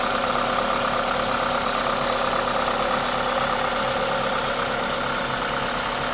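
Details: Toyota 2ZZ-GE engine at normal idle: steady, even idle with strong induction-kit hiss over a light regular tick, no knock or misfire; healthy engine.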